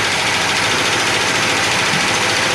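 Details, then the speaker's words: Twin 454 big-block V8 in a 1980s Egg Harbor 41 sport fish boat idling unevenly with valve cover off, running on seven cylinders and over-fueling; misfire on one cylinder from an intake valve stuck down. "Misfiring on one there. You can hear it. It just sounds funky cuz we got the valve valve cover off. But you can hear it. It just, you know, it's running on seven cylinders and just over fueling."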